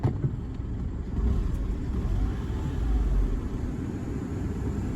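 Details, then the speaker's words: 2018 Peugeot 2008 wet-belt engine just after an oil and filter change, in neutral; oil light never came on, smooth even idle hum with a slight note change, no knocks or ticks, no leaks. "there you go she never even came on you hear the engine note just changed slightly that's"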